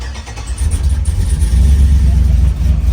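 Brief crank, then the engine catches promptly into a deep, steady, even rumble with no stumbling; a clean, healthy start.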